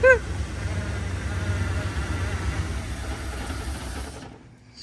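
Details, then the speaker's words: OBS crew cab short bed truck, sitting for years, started on brake clean with the distributor 180 degrees off: it catches, stumbles unevenly for about four seconds, then dies. Rough running from ignition timing half a turn out; fuel pump also possibly bad. "Yeah, I'd say it's 180 off. about top dead center on the intake. It's running. Not happy."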